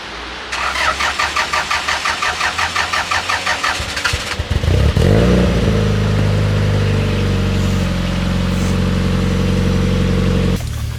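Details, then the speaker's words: 1995 Toyota Celica GT, stored unused for a couple of months; starter churns, engine catches cleanly and settles into a steady, even idle, no clunks; earlier axle-like clunking gone, runs strong but feels down on power: normal start and idle. "Surprisingly, the car started and is running pretty strong. It does feel like it's pretty down on power, though."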